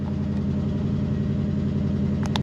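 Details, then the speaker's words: 1965 Ford Fairlane 500, 289 V8: steady, even idle with a low, smooth burble and no knocks or misses; normal idle, sounds good and drives well. "It's your basic little 289. This is a solid car. It sounds good, it's driving good."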